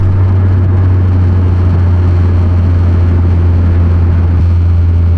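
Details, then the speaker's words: 2013 Subaru BRZ with Greddy Evo GT catback, driving before headers and HKS exhaust swap; deep steady low boom fills the cabin at cruise, too loud and droning, worst on the highway: exhaust drone. "Yeah, it's way too loud. Too drony."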